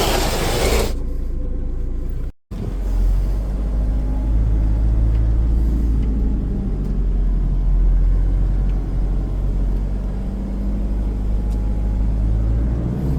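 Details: Range Rover L322 with 3.0 BMW M57 diesel and a failed turbo, idling: steady low rumble with an uneven mechanical clatter riding over it, abnormal engine noise around the turbo; exact fault unconfirmed.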